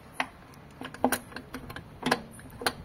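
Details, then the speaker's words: 2006 Chevrolet Celta gear shift linkage (trambulador) after kit replacement: crisp small clicks, one or two per throw, as shifter is worked by hand; all gears engage cleanly, normal. "Ó você tem que escutar esse barulhinho significa que as marchas ó estão todas engatando"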